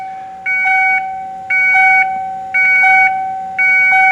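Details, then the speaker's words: 1994 Ford F150 after LED dash light install, key on: two-tone dashboard chime about once a second, evenly spaced; owner thinks it is the airbag warning, possibly from a bulb left out; ABS light also on. "Hear that beeping? I'd never heard that before until a couple years ago, and I'm not sure why. What that is it's your secondary warning for your ABS lights, or ABS light, your ABS brakes."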